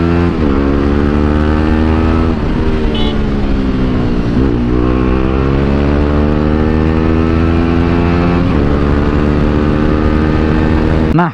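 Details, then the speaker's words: Motorcycle on its original exhaust, before it blew and turned loud with popping: deep, mellow single-cylinder note rising and falling with throttle blips, smooth and even with no rasp. Normal exhaust note. "cuma setelah diganti suara berubah kalau di video-video sebelumya Kalian Dengar suaranya itu lebih adem kayak gini"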